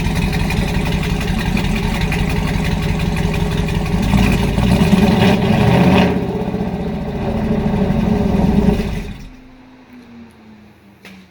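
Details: 2019 Camaro SS, 6.2L direct-injection LT1 V8, before repair: rough, uneven idle with a loping stumble and irregular clatter before shutdown; misfire from a stuck-open injector, oil overfull with fuel.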